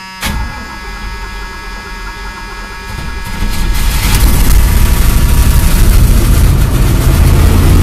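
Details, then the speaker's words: Carbureted car about 5 hours after cleaning its carburetor with starting fluid, engine still ice cold and slightly flooded: it cranks, catches and builds quickly to a steady, even idle without stumbling. It sounds better than before and runs fine. "sounds better look at that look at that it's it's still ice cold and it's idle and fine"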